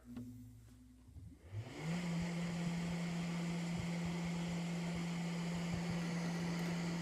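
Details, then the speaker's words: CPAP machine after 3D-printed blower fan repair, fan not yet balanced: spins up over about two seconds to a steady low whine held at speed; whine slight, machine working well. "whining a little bit i haven't balanced the fan yet but uh it's working excellent and to be honest the line isn't that loud at all so cool 3d printed next"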